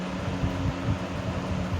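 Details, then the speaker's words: 1970s 16-inch Toastmaster box fan, counterclockwise rotation, on low speed: low steady hum with uneven wobbling throb, vibration, bad balance on all three speeds; fan blade imbalance. "So yeah, it's got some vibration to it. Those blades are not very well in clock at all."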